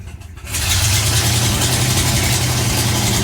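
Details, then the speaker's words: Cold V8 with very low compression (cranks a minute and a half without draining the battery), owner unsure whether rings or valves; uneven, lumpy beat with irregular pulses, very weak vacuum, poor oil pressure, horrible misfire that barely idles; leak-down test planned. "no vacuum at all like the vacuum signal is so weak this is a horrible misfire and it'll eventually sit here and honey it'll idle it's just not happy"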